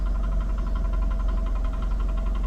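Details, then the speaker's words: 2008 PT Cruiser salvage-auction car at idle: a quick, even chirping pulse over a low idle rumble, which goes away as soon as throttle is applied; suspected pulley underneath, cause not confirmed. "like a pulley or something under there is uh making a little it goes right away though as soon as you give it some gas"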